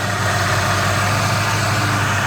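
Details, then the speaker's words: 1990 Ford Mustang GT 5.0 5-speed, warm at 194 degrees, after mechanical-to-electric (Volvo) fan conversion: steady low V8 idle, even and smooth with no misses or knocks, electric fan running. "You can tell the fan is on right now. We've got 194 degrees."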